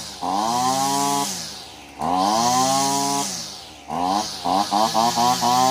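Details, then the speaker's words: Older Husqvarna 225L straight-shaft trimmer after a carburetor replacement and tune-up buzzes up cleanly and blips crisply with no bogging: healthy. "three or four pulls with the choke on she fired right up and then took the choke off she's idling great feels like it's taking the gas really good"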